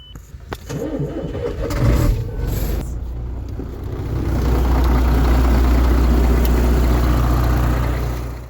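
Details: MAN TGA/TGS/TGL truck that would not crank, no N shown: neutral signal bridged (pink wire 6144 to ground) at gearbox plug; starter cranks briefly, diesel catches and settles to steady even low rumble; healthy start.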